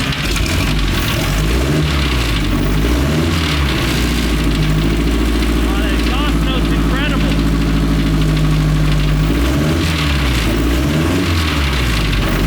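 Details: Restored 1932 Ford Model A dirt track speedster, four-cylinder, run daily; lumpy throaty idle with occasional throttle blips, even firing, no knocks or misses: normal running.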